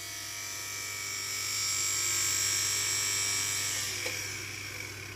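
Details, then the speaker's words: Cheap knock-off hand dryer's brushed vacuum-cleaner-type motor, dated December 2021, with a brush stuck in its holder, run up: high harsh whine with rough uneven buzz, then winding down; motor shot, some commutator bars suspected bad. "that oh that is not good this is shot I think some combar are gone bad"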